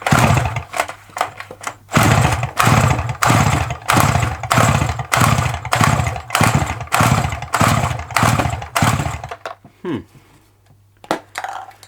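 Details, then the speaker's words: Dolmar 100 chainsaw bought on eBay, spark plug checked and refitted: about ten quick rip-cord pulls in nine seconds, each a short whirr with no firing at all; owner suspects a bad connection at the stop switch killing the ignition. "I wonder if we've got a dodgy connection on the old stop switch"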